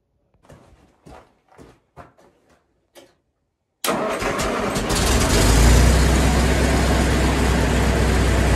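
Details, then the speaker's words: 1974 International 354 gas tractor after replacing a bad starter solenoid with an aftermarket generic one (wired to S terminal, grounded via mount): a few light clicks, then it starts at once into a steady, even low idle; repair successful. "Okay, everything's working, and there you go. That's how you install an aftermarket generic starter solenoid."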